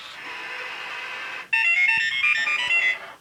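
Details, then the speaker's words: OmniBot 2000 robot with tray, powered on by remote after repair (work on battery terminals, connections redone, switches fixed): steady electronic tone, then bright melodic beeps over faint gear whirr; complete, healthy startup cycle. "there it is so that went through its full cycle showing that it's in perfect working order"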